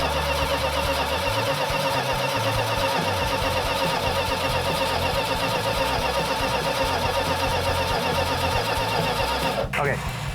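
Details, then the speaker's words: Freshly rebuilt Plymouth Cuda 340 V8 with compression restored but a vacuum/intake leak, so it won't idle under 2000 rpm. A metallic, tappet-like clatter rides over the fast idle; the rockers are being pulled to check for oil galley blockage. "so it didn't want to idle under 2000 rpm and we've got to tap it that's making noise or some kind of metallic noise that sounds like a tappet"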